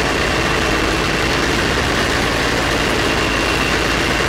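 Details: Polaris Ultra snowmobile two-stroke after carburetor rebuild and balancing: steady buzzing idle with no hunting, surging or stumbling throughout; engine idles evenly.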